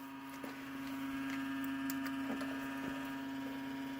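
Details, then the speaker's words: Dell Dimension 9150 Sony DVD-ROM or DVD-RW drive at boot: steady spin tone with rough irregular ticking about four per second; sounds bad but drive works; noisy optical drive. "that sounds like crap Sony DVD ROM and a dvd-rw that's what both of those are"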